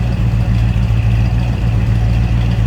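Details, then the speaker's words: 1966 Ford Fairlane 500XL convertible, 390 V8, just after a cold start: deep, even rumble at idle with a steady exhaust beat and no knocks or misses; healthy idle. "a little Rumble coming out of that 390 so we'll turn some heads with the way it looks and the way it sounds"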